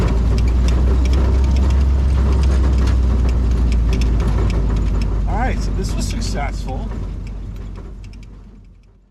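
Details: WW2 Jeep driven around a farm in winter: deep, even engine drone at low speed with faint transmission whine underneath; runs smoothly, sounds healthy.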